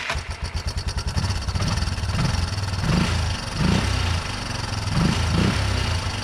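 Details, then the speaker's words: 1987 Yamaha Big Bear 350 4x4 ATV after ignition troubleshooting: fast cranking catches into lumpy single-cylinder idle with light top-end ticking; owner suspects valves smacking, unconfirmed; loud clunk near starter also noted. "so i can hear the centrifugal clutch on the other side spin down there's ticking going on up here could be valves smacking i don't know"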